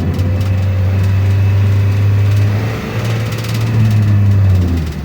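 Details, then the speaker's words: Nissan X-Trail T30 automatic in D at 3,000 rpm, steady high drone never dropping into a shift; stuck in first, not upshifting. Repeated forcing brought on the engine light, which limits revs to 2,500 rpm. "oke tidak mauoverer lagi tingi satu terus ya teman-teman ini 3.000 RPM tidak mau pindah sama sekali"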